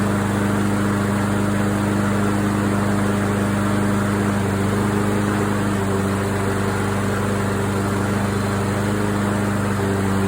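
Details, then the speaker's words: Craftsman AWD walk-behind mower after tune-up with carburetor cleaned and orifices blown through: steady, even drone at constant governed speed with no surging, misses or rattles; sounds right, normal running. "okay I would call this one success um this one sounds good it's got the right sound to it"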